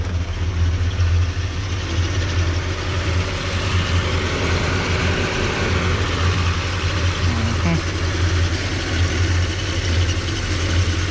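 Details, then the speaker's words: 1978 Chevy El Camino V8, carbureted, AC converted from R12 to R134a, AC switch engaging the carburetor up-idle solenoid, after adding condenser fan: low steady idle slightly raised by AC load, even and without knocks; idles normally. "There's a 4th thing controlled by that AC switch, and that is the up idle solenoid on the carburetor."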